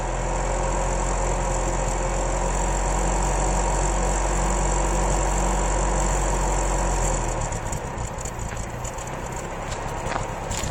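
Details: 1993 Isuzu Amigo 2.3 petrol engine idling unevenly with a stumbling lumpy misfire; valves, plugs, wires, cap, rotor and choke already done, cause found to be a lean condition.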